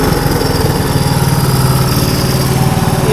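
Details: 1983 Honda 185 three-wheeler with newly replaced carburetor, warming up after start: quick even single-cylinder putter at idle, no misses or stumbles; new carb feeding it properly.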